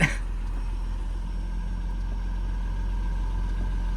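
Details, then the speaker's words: 1996 Jaguar XJS six-cylinder AJ16 after cleaning the idle air valve and replacing its seal: smooth, steady idle around 800 rpm instead of the usual 1100, even deep hum with no misses or knocks; normal idle. "it's already a lower idle we are at about 800 RPM where normally we would be at about 1100 right now"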